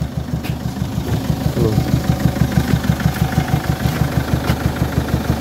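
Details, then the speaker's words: Peugeot 807 2.0 HDi (RHK, Siemens) diesel at idle with a strong engine knock. Even knocking about three times a second rides over the idle clatter, echoing near the air filter. Injectors or hydraulic lifters are suspected, and an additive is suggested. "тук-тук стучи конечно так она вот как раз воздушный фильтр отбивает поэтому и звук в этой стороне"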